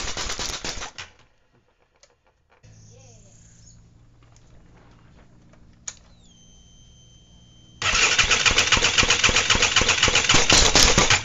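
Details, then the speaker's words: ATV engine during rebuild, started with the head and a cover temporarily fitted: the starter whirs, then rapid even cranking of about four beats a second that never catches; possibly not everything is hooked up, or it is flooded. "I don't know if everything's hooked up yet or not. It did okay last. It could be flooded too right."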